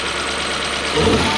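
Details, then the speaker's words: Toyota 1UZ-FE V8 in a Surf/4Runner, previously running on 4 cylinders, after coil repair; even, steady idle with no missing beats and a slight rise at the end; all eight cylinders firing again. "4 cylinder to 8 cylinder."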